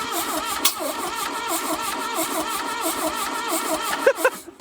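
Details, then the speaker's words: 1982 Plymouth TC3, not run for 32 years, cranking after a vacuum leak was plugged: a few cylinders catch in uneven chuffing puffs but it never runs; wet plugs and intake valves hanging open are suspected. "that one fired yes go ahead they're something starting to fire I guess the plugs got wet or something keep doing it"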